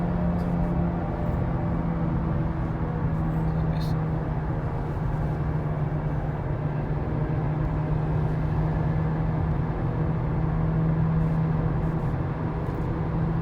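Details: Skoda Octavia A7 on the road: a steady low droning hum like a jet plane rides over road noise, rising in pitch with speed; worn, humming wheel bearing.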